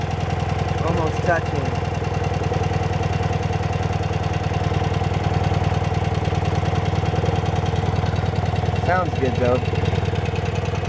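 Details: 1972 BMW R60 boxer twin idling, clutch worn and due for replacement (slips when cold): even, steady low thump about three pulses a second with no knocks or misses; idles smoothly and healthy.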